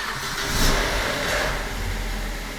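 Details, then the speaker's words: BMW E87 with N45B16 engine, cold start after replacing the VANOS yet again for a persistent knock: catches and settles into a smooth idle, no knocking or ticking, injectors audible; knock gone for now, owner unsure it stays quiet once warm. "Сейчас тихо. Я не верю своим ушам."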